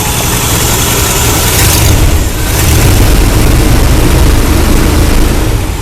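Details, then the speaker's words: Carbureted Chevy El Camino after refueling an empty tank (broken gas gauge) following a no-start: deep, steady idle holding speed without stumbling or hunting; engine running healthy though plugs are old. "you started a big gallon but she's got a good idol on here"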